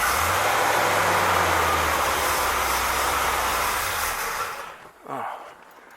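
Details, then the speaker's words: 1964 Pontiac 389 V8, freshly rebuilt: rough engine runs a few seconds, then sags and dies out, starved of fuel because the electric fuel pump was never switched on; it also won't idle well. "i don't know what that is oh i do know what it is you didn't turn the fuel pump on you big dummy"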